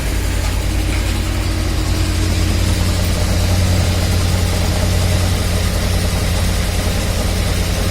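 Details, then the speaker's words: Lada/VAZ classic (2101-2107) axle shaft, wheel spinning with the car raised and brake drum removed: steady low hum with no metal-on-metal knock. This is the good side; the other side's bearing knocks. A bad axle bearing can be mistaken for differential drone. "Он тут тихий звук. Вот это очень хороший способ, как послушать, это воет редуктор или хана подшипнику пришла."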